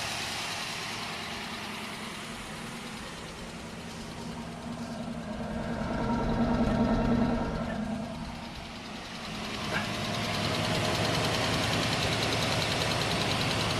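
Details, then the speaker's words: 1979 Cutlass, first start of a swapped-in 403 V8. Runs smooth with a light, quick lifter tick about three per second at idle. Lifters believed collapsed from water and cranking; the tick is already getting quieter. "it runs smooth damn this is the first time starting this thing and it runs awfully smooth sounds like a little bit of a lifter tick that should go away"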